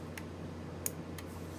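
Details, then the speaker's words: High pressure aeroponic system, solenoid valve on a timer set to one second on, one second off: sharp single clicks about once a second over steady low hum, normal solenoid valve cycling. "now i just hit confirm and it's working clicking on off see it on off on off"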